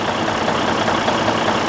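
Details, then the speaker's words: Detroit DD15 diesel at idle with no check-engine light or codes: a dense, rapid tat-tat-tat tapping inside the engine, as if something in a cylinder or a connecting rod is hitting, traced to a broken cylinder liner. "I don't know if you can hear that tapping noise that this engine is producing. It's a very unusual sound. It is like something inside a cylinder or"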